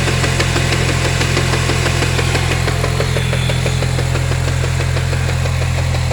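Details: Chevrolet Cobalt SS (LSJ supercharged) with 2.8-inch pulley and stage-2 belt slip: idling engine with a steady, quick knock, about three to four a second, over a low hum.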